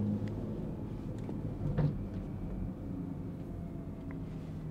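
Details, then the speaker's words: BMW 340 (B58) cabin while driving after fixing a rattling door pin: steady road and engine rumble with no buzzes or rattles from the doors; trim now quiet. "far so good i don't hear any rattles i think we're good i was not about to drive eight hours to florida listening to that the whole way not happening"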